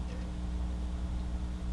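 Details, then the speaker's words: Amiga floppy drive reading a failing save disk: quiet steady drive hum with faint repeated head ticks as it retries, not completing its usual sound; volume reports a read/write error. Floppy read error. "now that didn't give the complete sound that it normally did just went at didn't do the complete sound"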